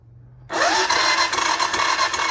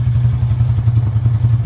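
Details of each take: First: 1999 Honda Foreman TRX400FW, bought with no spark, during voltage checks at coil: starter spins up with rising whine to fast even spin without compression pulses, as if plug removed. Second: 1999 Honda Foreman TRX400FW after fixing a no-spark fault, started the morning after with no choke: deep, even single-cylinder thump at a steady idle through a loud muffler, no misses; runs nicely, perhaps idling a little low.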